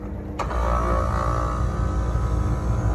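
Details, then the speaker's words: Carrier rooftop HVAC unit starts with a click and settles into a smooth, steady low hum after two power legs were swapped to correct reversed phasing; the earlier grinding is gone; normal running. "yeah you don't hear that terrible grinding so also you check the rotation of the blower fan you'll know"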